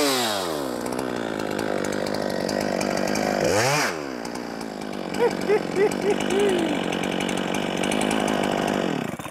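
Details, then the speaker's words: Holzfforma G395XP (Husqvarna 395XP clone) chainsaw on first run, being tuned on the carburetor high/low screws: two-stroke revs up and drops, then burbles and gurgles unevenly like a percolator; sounds overly rich, cause suspected, not confirmed. "she was making noise like a like an old percolator coffee maker"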